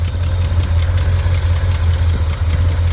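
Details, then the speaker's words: Engine just started after a 20-minute installation, idling cold with a deep rumble and a faint tick about three a second from an old exhaust leak; owner expects it to sound better once warm. "it's alive it's alive big brother is back alive ladies and gentlemen boys and girls y'all hear y' I hear that old exhaust leak"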